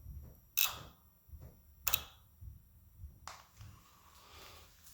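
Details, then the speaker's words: 2005 Yamaha R6 that won't start after sitting three months despite new battery and plugs, code 19 (kickstand) shown: key on, fuel pump primes, then two or three sharp dry relay-like clicks when the kill switch is pressed; owner suspects the fuel relay. "But the sound that I don't like is right here. As you can see, whenever I hit my kill switch button, I'm not sure if this is the fuel relay right here."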